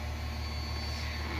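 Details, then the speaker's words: Porsche Cayenne after replacing both fuel pumps and fuel filter, restarted after ten minutes: low engine hum with faint steady pump whine, no buzzing or surging; both pumps running normally. "je pense que c'est juste ce filtre à essence fallait qu'ils se remplissent on entend bien les deux pompes qui tourne"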